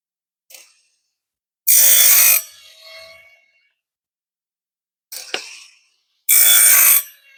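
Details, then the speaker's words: Woodland Mills RS30 Pro bandsaw sawmill blade sharpener, depth rod just lowered for wheel-to-gullet gap: two short half-second bursts of bright hissing grinding with quiet between strokes, cutting cleanly. "now what I would do is just allow the blade to continue moving through so I'm just going to let this blade sharpen on low speed I'll turn it to high speed in a little bit"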